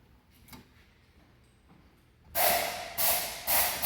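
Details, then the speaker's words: 2017–2018 Honda HR-V with 17,000 km and a loud suspension knock while driving. The removed shock absorber, stroked by hand, gives sharp hissing whooshes with a clunk from heavy internal play. "Vê se vai dar para ouvir aqui o barulho do amortecedor. Muita folga no amortecedor do carro."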